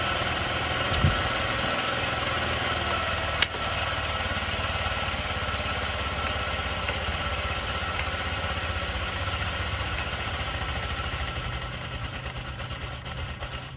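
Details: Honda Elite 80 (CH80) scooter, long-sitting, before carb removal: catches, runs rough uneven idle for several seconds, then fades and dies with no throttle response.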